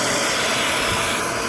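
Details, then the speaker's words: Shop vacuum sucking a pull string through buried garden conduit: steady, full rushing roar with no whistle or flutter from leaking air; the vacuum seals well on the pipe. "Yeah, that sounds pretty good, Evan."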